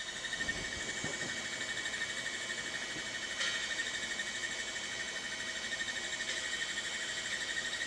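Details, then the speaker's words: Macintosh Classic II, opened up, booting its original SCSI hard drive (System 7.5): thin high whine with faint irregular ticking about twice a second; drive sounds bad, horribly noisy, owner plans to replace it with a BlueSCSI. "Hard drive doesn't sound very good, but Welcome to Macintosh."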